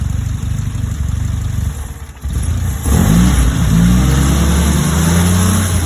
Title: Vacuum rough idle